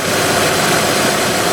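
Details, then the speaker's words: 2006 Honda Odyssey XLE, after replacing AC condenser fan and motor: steady, even rush of fan air over smooth idle, cycling on, no wobble or the earlier nasty sound; old fan's metal hub had failed. "after installing the condenser fan everything it's definitely running very very nice it's not wobbling anymore i don't hear that that nasty sound that i was getting"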